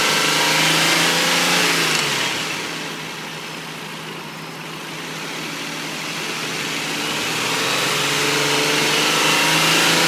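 A car engine revs up and down with a steady knock running under it, about three a second.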